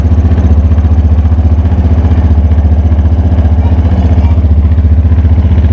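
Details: Black 2010/2011 Yamaha Fazer 250, 55,263 km, direct exhaust with original casing, fault codes logged: fast, even low thumping at idle with a rough hollow rattle, worse when warm.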